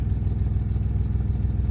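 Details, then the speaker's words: Van at 171,000 miles idling: even rapid puffing tick in time with firing pulses, exhaust leak at the donut gasket; alternator bearing noise (second alternator) also present. "got a new exhaust leak at the donut"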